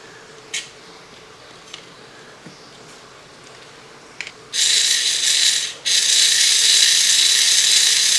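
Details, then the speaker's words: Mego Planet of the Apes Action Stallion battery toy horse motor gearbox after oiling: a few light clicks, then a high, even buzz holding steady; much quieter with oil, though the switch only works when both buttons are pressed. "See how much quieter it got though with the oil?"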